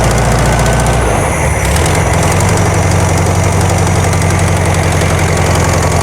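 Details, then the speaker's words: 1972 VW Karmann Ghia, air-cooled flat-four, first run after sitting for many years, carb choke just adjusted: a fast idle that stumbles and surges briefly, then evens out; still a little jumpy, with the valves not done and the cause not pinned down. "sounds good it's a little jumpy we haven't done any valves or anything"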